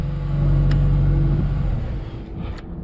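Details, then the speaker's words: Genie S60 boom lift after crank-no-start repair: catches and settles into a steady, even low rumble about four beats a second, fuel pump buzzing, oil pressure good, no misses or knocks; healthy. "fuel pumps buzzing along got oil pressure fires right up"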